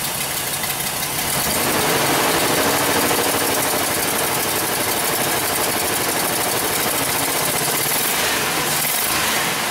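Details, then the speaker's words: 2005 Chevrolet Express 3500 6.0 V8 cube van with a crank/no-start from a broken wire to the crank sensor, now running after 12 V is restored: rough, skipping, uneven idle with a hissy note; misfire, cylinders 6 and 8 worst. "sounds like it's skipping like crazy here yeah we wanted data definitely sounds like got a pretty missfire"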